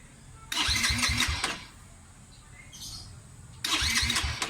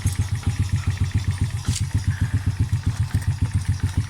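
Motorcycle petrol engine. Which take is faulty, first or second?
first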